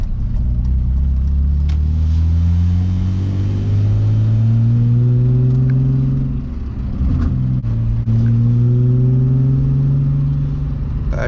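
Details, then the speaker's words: Car climbing a hill where it had misfired the day before: note rises evenly through the revs with a gear change and no stumble or miss; normal running under load. "but we'll see what happens right now now right now we're going up the hill so far as us kind of sounds other"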